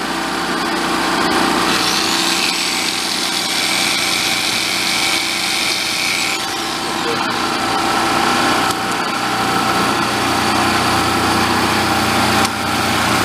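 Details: Vintage Coleman Powermate 1500W generator, revived after apparently sitting: steady high-pitched drone holds even under electrical load with no hunting or misfire; normal running under load.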